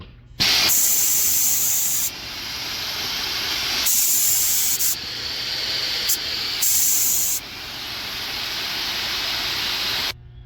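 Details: Hoffman Gel 3 steamer during end-of-day blowdown, accessory nozzle run by foot pedal to bleed pressure down to 5 PSI: loud, steady hiss in repeated bursts with even pressure and no sputtering; normal venting.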